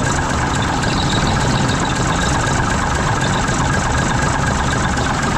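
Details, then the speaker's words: 1974 Mack R Model diesel after bent pushrod replacement, with throttle set well and valves rechecked: settles into a steady, even idle with a smooth low clatter and no misses or knocks; normal idle. "we got the throttle off that's actually set pretty well so if we go right in here see how that idles down"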